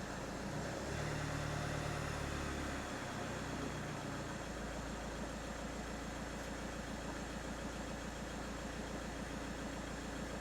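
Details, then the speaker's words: 2018 VW Touran diesel with intermittent morning dash warnings and ECU no-communication faults, after clearing faults: starts with clutch pressed and settles to steady even diesel clatter at smooth idle, no misses or odd noises; healthy engine, no faults. "put on a clutch pedal guy starts lovely no faults let's go inside the ecu again"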